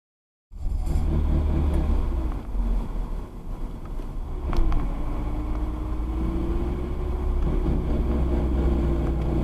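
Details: Manual car decelerating in gear with the clutch engaged: heavy road rumble under a droning, whirring grinding growl that shifts pitch, and it stops when the clutch is pushed in. It never returned after the driveshaft center bearing was replaced.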